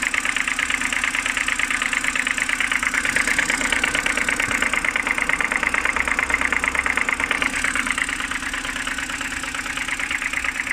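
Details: BMW N52B25 engine at cold idle in the morning: a fast, even ticking knock rides steadily over the idle; the owner suspects it comes from the oil filter housing area, and the source is still unknown.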